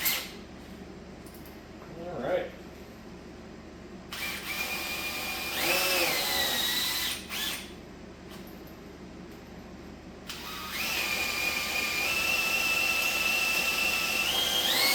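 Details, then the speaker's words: Big Block Chevy unrun for a couple of years, distributor removed, oil system primed with drill before dyno: high drill whine in bursts, then longer steady pull as the drill drags down when the oil pump moves oil. "So, you can feel once the oil pump starts moving a bunch of oil, um, you can hear the drill drag down and start working harder."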